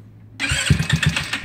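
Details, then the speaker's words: GY6 scooter carburetor engine with idle screw turned very low: a few uneven sputtering putts then it dies within a second; idle speed set too low, engine stalls; slight burning smell, engine strained. "that so our idle screw is turned very low so we'll start off it's better actually work your way because you don't want to burn your engine"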